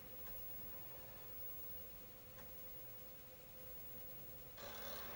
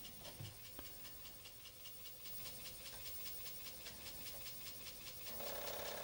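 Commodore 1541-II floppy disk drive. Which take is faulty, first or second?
second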